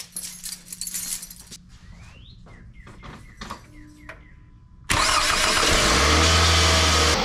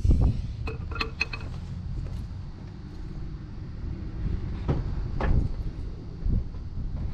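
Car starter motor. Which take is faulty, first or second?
second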